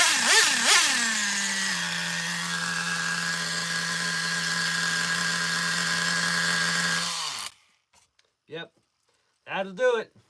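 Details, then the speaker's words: Traxxas Revo 3.3 nitro RC engine after the badly bent exhaust that starved it of fuel was fixed: screams up, then holds a clean steady high-pitched buzz before shutting off; normal running. "sounds good now. So, could you believe that? That was the problem. Fubard exhaust."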